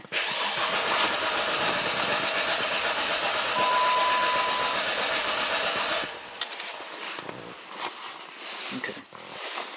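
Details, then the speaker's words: Cranking with accelerator floored during a relative compression test using an OTC 3840 scope and current clamp; six even humps, steady unbroken churn, all cylinders drawing the same amperage — even compression. "So all the all cylinders are nice and even. They all drawing the same amount of amperage which means they have all same amount of compression."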